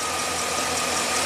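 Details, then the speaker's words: 2009 Chevy Silverado 3500HD, 421,000 miles, V8 idling with a dull uneven beat and steady hiss as the idle starts to lope; the busted coolant temperature sensor connector reads minus 40 and upsets fuel trims, likely causing the stall. "This is what's going to stall it out. This is crazy. It's running like garbage now."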